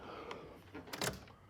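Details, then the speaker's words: Jeep XJ that had sat since 2019: at key-on a few faint dry relay clicks with no fuel pump hum, and no start. The pump fitted new in 2019 may have died or a wire may be chewed, and there is no spark; the computer is suspected. Unconfirmed. "you can hear relays clicking, but that's all you got. And now obviously with no fuel pump, it ain't gonna do nothing. But we still have no spark."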